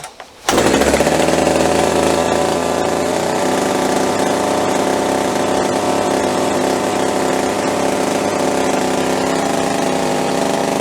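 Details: Budget top-handle chainsaw with Oregon bar and chain, just started with primer bulb and start latch pushed in, trigger untouched; runs at a sharp, steady high buzz held by the start throttle latch against the engaged chain brake until the trigger is blipped.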